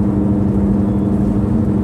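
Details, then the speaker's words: 2009 Subaru Outback while driving: a whirring, grinding drone from the chassis that changes volume and pitch with speed, amplified in editing; a worn right-rear wheel bearing, confirmed and replaced. "it's clearly coming from the Rolling mechanisms of the chassis and it changes volume and Pitch with changes in speed"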